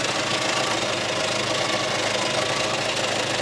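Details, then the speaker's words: 1994 Skoda Favorit 1.3 (68 hp), very used survivor: steady, even idle with constant busy hiss, no rhythmic knock or surging; engine sounds fine despite an agricultural-sounding starter. "but other than that the engine itself is sounding pretty nicely"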